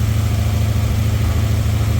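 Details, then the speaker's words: WhiteHorse Crown Vic engine at idle: a steady low exhaust note with a faint, even light tapping. The owner hears a slight knock and his brother suspects a misfire; the cause is unconfirmed and the owner plans to pull the engine. "I don't know if you can hear it but I I I mean it's just a real slight knock but I don't like that I'd rather pull it out than blow it up"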